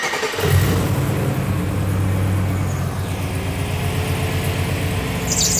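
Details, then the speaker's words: LS V8-swapped Mercedes 124 chassis on its first start after a throttle body correction: it settles into a steady rumble with a thin, faint squeal from the worn belt and tensioner, a pre-existing fault due to be replaced next. "There's our belt squeak. We had that before, tensioner and belt."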